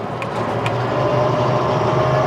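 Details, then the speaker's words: 2023 Landmaster EV 4x4 Crew electric UTV on upgraded Gladiator heavy-duty tires at road speed: steady low drone and hiss with no motor whine; noisier than stock but normal tire road noise. "So there's definitely a significant difference if you upgrade to the Gladiator tires on an amp. Again, that is a premium heavy-duty tire, but for an electric vehicle, it is a little bit noisier on the road."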